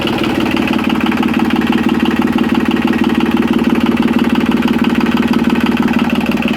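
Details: Yanmar 3QM30 three-cylinder marine diesel, just jump-started with the decompression lever in run, idles with a steady beat of about three pulses a second and no knocks or misses. Oil pressure reached 75–80 psi, with no cooling water hooked up yet. Normal idle.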